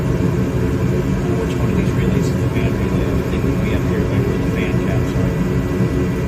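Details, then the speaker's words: Gas furnace on a service call, running after the fault was traced to the flame sensor, about 10 minutes of running with no issues: steady low roar of burners and blower, no rumble, surging or rattles; normal operation. "all right guys it's been a good uh 10 minutes or so she running she's running good no no issues"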